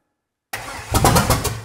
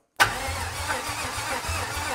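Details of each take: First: 1955 Buick Special V8, parked since 1968, first start attempt with jump pack added and timing eyeballed: about five strong evenly spaced cranking beats, spinning briskly; starter now has enough power. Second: 1955 Buick Special with an unknown engine installed, timing set by eye, before a jump pack is added: starter churns slowly and unevenly and the engine won't fire.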